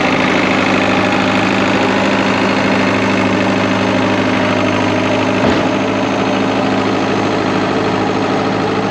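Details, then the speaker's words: Early-1980s International TD8E diesel bulldozer, long unused and started with ether, at loud idle with a slightly uneven chug of about 2.5 beats per second; owner feels it isn't running right and suspects the injection pump or low compression in a cylinder. "I think there's still some work to do I'm not convinced that it's running 100 right I don't know if I got maybe a fuel pump uh the injection pump or uh maybe I'm down compressionist cylinder"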